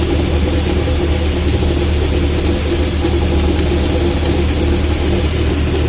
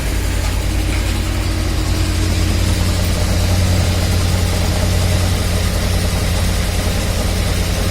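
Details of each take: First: VAZ classic (2101–2107) rear axle shaft bearing heard with the car on a lift, engine running and drums removed: a steady low drone with a mid-pitched hum on top, easily mistaken for a humming differential; worn axle shaft bearing. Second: Lada/VAZ classic (2101-2107) axle shaft, wheel spinning with the car raised and brake drum removed: steady low hum with no metal-on-metal knock. This is the good side; the other side's bearing knocks. A bad axle bearing can be mistaken for differential drone.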